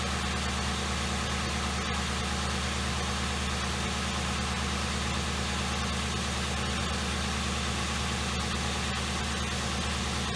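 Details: 2007 Ford Crown Victoria started after a spark plug fix for a misfire, with white smoke that faded once warm: smooth, even idle with a steady low pulse and no skips or stumbles.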